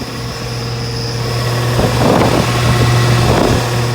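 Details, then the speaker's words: 2016/17 Rheem two-and-a-half-ton central AC outdoor unit, first start-up of the 2021 cooling season: steady low compressor hum, even fan rush, no knocks or squeals; normal condenser operation. "yeah so far they seem to be running good which is good"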